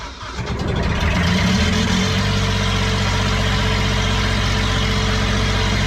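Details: Kubota diesel with a 1006-tooth ring gear, started using a new starter with an 8-tooth pinion in place of the 9-tooth one: the engine catches and settles into a steady, even beat with no knocks or misses; healthy running.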